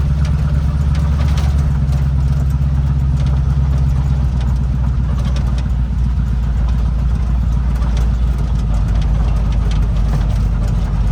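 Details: Chevrolet El Camino V8 idling after new spark plug wires, alternator charging 14.5 V, a couple of exhaust leaks audible; deep steady rumble, even firing, no misses, knocks or ticks; normal healthy idle.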